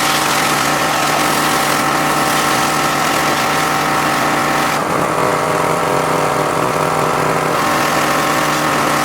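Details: John Deere X540 mower that came in crank-no-start with no spark, idle about a year; both coils found dead, failed module swapped. Steady, even two-cylinder beat holding speed without misses or surges: normal running after repair.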